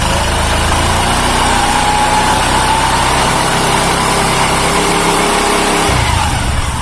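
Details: Carbureted Honda Beat scooter after replacing the snapped CVT drive belt (V-belt kit) and cleaning parts; engine runs smooth. Even, steady idle with a light belt-drive whir, no slapping or rattle; normal idle.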